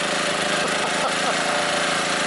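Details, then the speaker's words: Scrapyard-revived 3,000-watt generator with two heaters plugged in on separate banks holds a dense, steady drone with raspy exhaust, muffler blowing soot, running near its limit; likely a bit too much load; engine labouring under heavy load. "oh yeah now all that muffler is blowing stuff out oh it sounds like she's working pretty hard"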